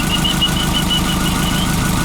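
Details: VW Beetle with Subaru EJ20 engine, hot idle, oil pressure 1–2 psi hot vs 75 cold: sharp regular tapping about six times a second tied to engine speed; knock with low oil pressure, later improved by replacing PCV valve.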